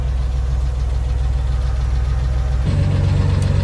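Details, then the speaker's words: Chevy 4.3L V6 swapped into a 1964 Willys CJ5: steady idle with a busy, light valve-train-like rattling clatter over the rumble despite the engine having been gone through; source unknown. "It's got the rattle. I've gone through that entire engine. I don't know why it makes valve train noise."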